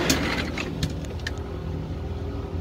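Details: LG French-door refrigerator (591 L per transcript) freezer fan motor: a steady low droning hum with a whirring tone inside the freezer. The noisy freezer fan motor is being replaced.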